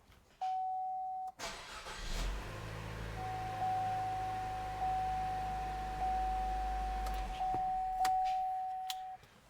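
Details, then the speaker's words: 2015 Chevy Trax, started after replacing the spark plugs and refitting the ignition coil. A door chime, a quick crank, then a smooth, even low idle with no stumble or miss; it sounded good. "Now let's start it up, make sure it runs"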